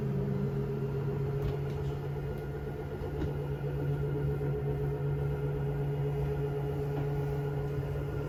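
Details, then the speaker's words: Jayco Jay Flight 34RSBS travel trailer front slide-out extending: steady low motor drone with faint rough gear chatter, grinding at full extension as expected; normal operation at end of travel. "this is the same as the first slide out I showed you so it's going to make a grinding sound when it's all the way out"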